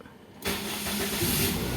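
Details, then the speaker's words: Toyota Vios Gen 1 after replacing faulty oxygen sensor #1 and clearing DTCs for a persistent check engine light: short crank, catches at once, even steady idle with no misfire. "Oke, ini udah aman ya."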